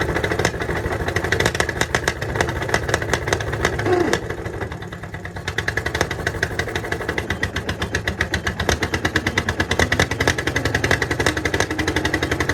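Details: 1951 Caterpillar D8 2U dozer, sitting since 1990, big diesel freed after being stuck, first run on its own power: deep, steady thumping with even firing pulses at a constant pace. Running cleanly.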